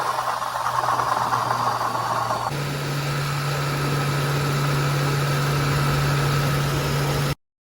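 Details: 2006 Crown Victoria/Grand Marquis V8 after replacing a rattling, grinding, leaking water pump: a smooth, steady idle with an even low hum and no rattle or grinding.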